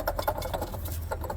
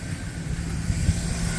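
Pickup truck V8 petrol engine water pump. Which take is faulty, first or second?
first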